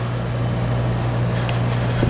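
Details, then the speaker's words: Kenmore 25357510791 dehumidifier after cleaning, blanket refitted, max dry and low fan speed: steady low hum with soft fan rush, no rattle; brief start-up vibration fades, compressor barely audible, running normally. "See how quiet it is? A little vibration when it first starts up, but that goes away. That blanket really makes a difference. You can barely hear the compressor."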